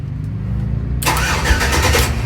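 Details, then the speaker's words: 1994 Chevrolet OBS truck with LS swap, in park with the neutral safety switch connected; after a second of silence the starter spins the engine steadily without firing, because the fuel pump is disconnected with no fuel lines run yet. "That's not starting because I got the fuel pump disconnected, because I don't have any fuel lines ran right now."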